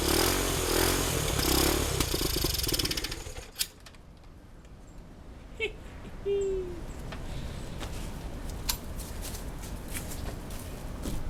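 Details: 1971 Honda CT90 single, bought as a non-runner said to have low compression, fires and runs with an even beat for a few seconds before shutting off; normal running.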